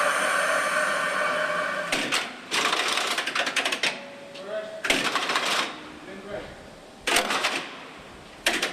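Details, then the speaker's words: MBTA Orange Line heavy-rail car static run-up at end of mileage inspection, winter 2011: sharp air hiss bursts every second or two with valve clicks between as controls and air brakes cycle; normal. "At the end of the mileage inspection, we run up the vehicle. In other words, we put it through its paces statically. We're going to hear the controls run up. We're going to hear the air system run through its braking paces."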